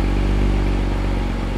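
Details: Porsche Boxster flat-six with an unexplained fault, running after fault codes cleared, reader showing no codes: deep, smooth, even idle with steady low burble, no knocks, ticks, rattles or smoke; healthy-sounding engine.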